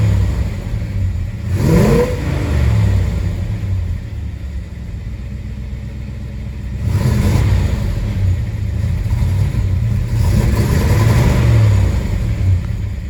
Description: My 1967 Chevelle SS 396 recently developed a misfire/hesitation after a dead battery.